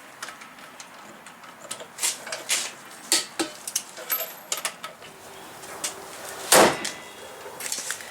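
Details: Torque wrench set to 100 ft-lb tightening wheel lug nuts in a star pattern on a Buick Rendezvous GM SUV after front brake pad and rotor replacement: sharp single clicks as the wrench breaks over cleanly at set torque.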